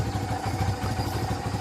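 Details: Kawasaki Barako 2 single-cylinder motorcycle, previously hard starting in the morning, after carburetor setting adjustment (810, air screw 3.5): steady, even low-thump idle with no misses or hunting after a one-click start.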